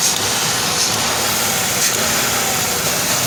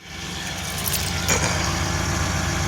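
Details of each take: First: Engine running after top-end work, still misfiring a little on new plug wires and original spark plugs: a steady hiss over a slightly uneven beat; owner suspects a vacuum leak at the rear and will recheck upper intake manifold torque; rough idle. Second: it sounds like it's running healthy now running pretty smooth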